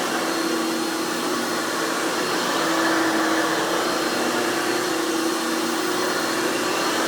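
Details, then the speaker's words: 1997 Hoover Futura (Dimension) U5213-930 upright vacuum after repairs (replaced damaged fan, broken wheel axle, worn brush roll); loud steady high-pitched motor roar at one even pitch, no surging or rattle, running normally. "let's go ahead and turn this cleaner on and demo it for you guys so you can hear it and all it's screaming overly loud hoover glory"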